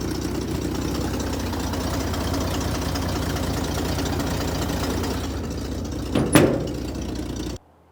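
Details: Corvair, original engine with original bearings and head studs, cold start after new-old carburetor swap: steady low idle with slightly uneven lumpy beat and faint ticking, then shut off; rough idle, cause not pinned down.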